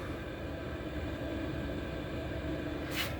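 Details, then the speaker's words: 8 kW Gearzaar Bluetooth Chinese diesel heater after its changeover module switched it from mains electric to battery: steady, even roar of combustion and fan without faltering or cutting out. There was no shutdown at changeover, so it is running normally. "It's running on battery. So from switch to from electric to battery, just a split moment, and it still works."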